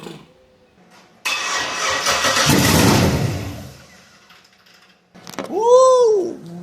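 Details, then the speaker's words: 1966 Ford F100 on a 2008 Crown Vic chassis with an LS-swapped V8 and the stock engine computer tuned elsewhere: it cranks, catches, roars for about two seconds and dies. The anti-theft lockout in the engine computer is killing it. "And by dies, I mean it fires up and then it shuts right back off."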